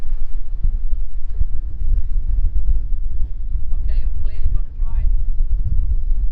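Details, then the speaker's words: Boat's diesel inboard engine after a rebuild and repair done afloat, first start at the helm: steady, even low diesel rumble with no knocks or misses under some wind; idling smoothly, better than before. "look at that better than before happy"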